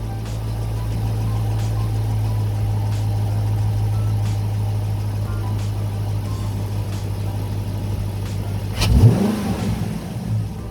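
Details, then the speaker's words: 2019 Dodge Charger R/T 5.7 HEMI V8 on stock intake, before JLT cold air intake install: deep steady idle then one quick throttle blip climbing and dropping cleanly; normal idle and rev. "Now what I'm about to do is give it a couple revs so you guys can hear a little bit of how she sounds."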